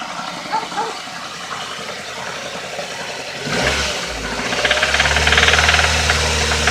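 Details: Nissan engine: a sharp metallic knock ticking with the idle that gets busier when revved; the engine has a spun bearing.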